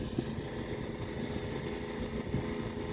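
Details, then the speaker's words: Small petrol gas-powered water pump with fresh high-octane fuel pumping from a well to fill totes: steady, even drone with no misses or surging; running normally. "And so right now I got the gas pump going,"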